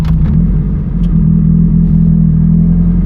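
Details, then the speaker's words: Honda EJ8 with D16 engine and eBay turbo, cold start: low, uneven idle with an occasional skipped beat; intermittent miss, fuel trims 18–19 showing it runs super lean when cold. "it starts right up when it's cold i can hear it missing right now it's got like a little miss here and there it actually idles like total crap right now"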